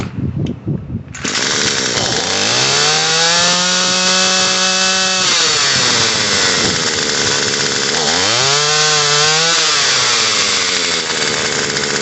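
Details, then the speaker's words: Murray M2500 attachment-type two-stroke trimmer, after carburetor and fuel line replacement and the high-speed screw turned about a quarter turn counter-clockwise: sharp buzz revs up, sags, climbs again. Idle is too high and the head spins; the idle screw will be turned down. "now we have idle is a little bit high so we got an idle screw right here we're going to idle this down until the head stops spinning"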